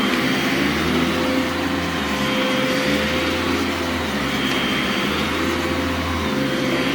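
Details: Brand-new Legacy-era high-filtration upright vacuum, briefly run with the brush stopped because it is upright (it has no brush roll shut-off switch): steady, even motor hum at a constant pitch with no rattles, grinding or surging; it runs clean and healthy.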